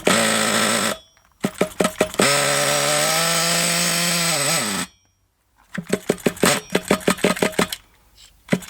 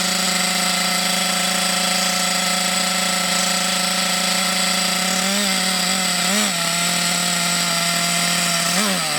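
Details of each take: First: Thunder Tiger EB4 S2 Pro nitro RC buggy engine, hot, with reasonable compression, test run: a high, buzzy scream climbing in pitch, then short stuttering bursts as the nitro fuel runs low; otherwise it sounds healthy. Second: Thunder Tiger EB4 S2 Pro nitro RC buggy, eBay shed find stored for years, engine hot, reasonable compression; high buzzing scream then revs dip and surge, running a bit sporadically; possibly short on nitro fuel supply.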